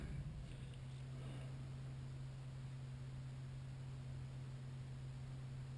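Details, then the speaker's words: Intertherm electric furnace on a no-heat call, running at full heat demand with the first leg drawing about 20 amps: steady low blower hum at even pitch with no rattles or scraping, normal running. "I heard to click there the other heat stps are now running they're running at 21 amps and that will fall down a little bit"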